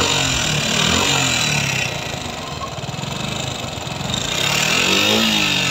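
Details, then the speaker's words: Suzuki Gixxer FI ABS single running: busy, fast top-end ticking over the exhaust note; tappet cover removal found the exhaust valve adjuster far too tight and a rocker arm problem. "এখানে দেখি এক্সট valve যে এডজাস্টার আছে এটা পুরোটাই অনেকখানি tight আছে তো যাই হোক এখানে লকার প্রবলেম আছে"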